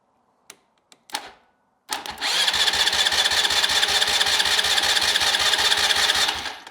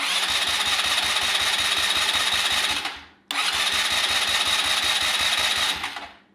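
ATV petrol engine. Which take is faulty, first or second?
first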